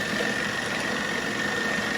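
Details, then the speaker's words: 1940s RCA 16mm projector running forward on a replacement Bell & Howell spring drive belt, with grease on the gears: a quiet, even whir with a steady high tone and no slipping as the belt turns; the repair succeeded, normal running. "Put some grease on the gears, guys. Going smoothly. Oh man, it sounds good. Belt's turning."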